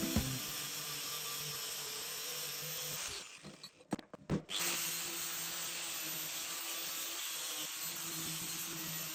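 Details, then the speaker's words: MIG welder tuned while welding an old heating-valve lamp base: after raising wire speed slightly from a crackly setting, a steady even crackling hiss like sizzling bacon with short pauses between runs; normal, correctly set weld sound. "After upping the wire speed a touch, you can hear it sounds like sizzling bacon, and that's perfect. That's just what we want."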